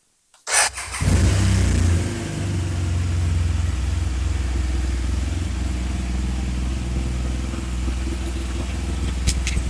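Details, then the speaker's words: Rebuilt 2014 BMW R1200GS, first start after radiator replacement and work to cure a backfire/misfire: it fires, blips once and settles to a smooth, even, softer idle with no pops, backfire gone; ABS and warning triangle lights blinking. "So far, it sounds really good. It actually sounds really, really good. There's not an there's not a strange sound anymore. It's almost as if it's softer as well."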